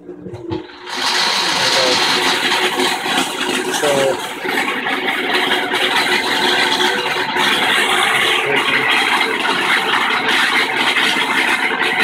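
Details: Kenmore washing machine spin cycle, agitator stops while tub keeps spinning; harsh uneven rattling clatter rising as the drum reaches full speed, caused by the backed-off nut holding the stator cover to the bottom of the tub.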